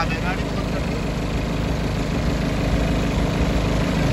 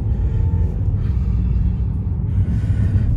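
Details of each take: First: BMW at idle before repair: steady low idle with a coarse shaking drone; engine and cabin vibration from a broken engine mount, shown cracked, with some noise also from the air filter. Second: BMW driven on the road after the broken engine mount was replaced: deep, steady rumble with no thumps or shudder; previously vibrated badly in gear, over potholes and accelerating, now smooth.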